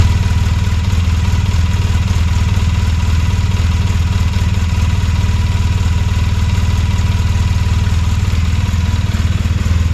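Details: 2007 Polaris Sportsman 800 ATV, new with 15 hours: deep steady idle with an even clatter of about three taps per second from the right side of the engine; some say the oil pump (normal), others suspect the water pump; cause unconfirmed.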